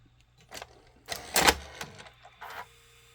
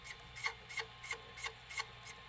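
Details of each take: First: Sony SLV-575UC VHS VCR loading a test tape: a quiet run of clicks and short motor whirs, then a steady threading hum into play. The tape loading mechanism works normally. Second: Sony SLV-575UC VHS VCR in play: dry rasping rub about three times a second from the pinch roller, caused by a bent pinch roller shaft.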